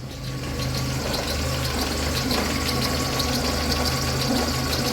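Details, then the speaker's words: VAZ 2112 with unstable running, warm idle: light uneven ticking and rough chatter over the engine note; worn noisy timing belt idler pulley, and crankshaft pulley wobbles, owner suspects it may affect running. "это у нас шумит обводной ролик ГРМ ремня ГРМ также шкив коленвала имеет вот такое вот биение вибрацию восьмёрку"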